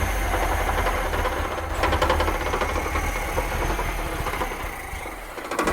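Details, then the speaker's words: 1982 Datsun 720 4x4, 41,000 miles, long-stored, warm: uneven, lumpy idle that stumbles and never settles; carburetor idle jets were not cleaned, suspected cause of poor idle. "We didn't clean the idle jets out on that carburetor. [Music] None. That's probably why it's not idling good."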